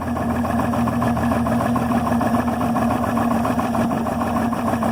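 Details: Yamaha 300 HPDI outboard idling at 400-500 rpm: slow, lumpy, uneven beat under a steady hum; rough idle, cause unclear.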